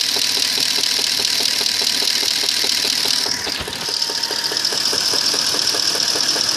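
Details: 2002 Audi A8 quattro 3.7 automatic, hot engine idling in D or R: sharp even knocks about four per second; knock vanishes when driving, unchanged for three years, no fault codes, internal source unknown.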